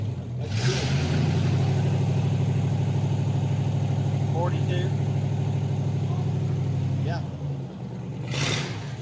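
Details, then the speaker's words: Replacement flathead V8, swapped in after the previous motor threw a rod on a reliability run, just fired up: smooth, even low rumble holding a steady idle with a light blip near the end; runs healthy. "yeah it'd be fine awesome it sounds nice yes what do you think I'm happy with that"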